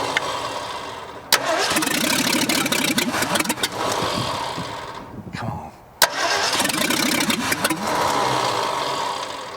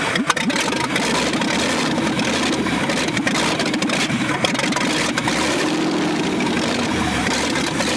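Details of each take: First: 1965 Ford F100 dug out after years buried, neglected engine: long bursts of steady starter cranking with pauses and no catch; crew suspects not enough fuel or too much air, having to pump the pedal hard. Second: Buried 1965 Ford F100 first revival runs smoothly and steadily with harsh, raspy, very loud popping because no exhaust is fitted; engine sounds good, choke still to be adjusted.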